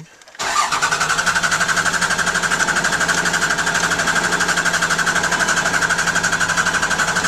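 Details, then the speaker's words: 2000 Dodge Ram 2500 24-valve Cummins turbo diesel after replacing a leaking fuel filter (defective gasket, loose cap) and priming: brief silence, then it catches at once into a steady, even idle clatter. Fuel pressure is back to normal. "my food pressures back up to normal a little weird that when you start it for the first time after doing that you know when you're trying to start it you can push the pedal to not to the floor but all right there we go so I I think that's fixed there no more food over"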